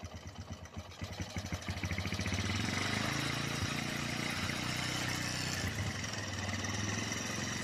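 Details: Honda GL Neotech motorcycle with rough engine sound: small engine revs up with a loose metallic cam chain rattle on top, quieter at low revs and louder as throttle rises; worn cam chain, to be replaced.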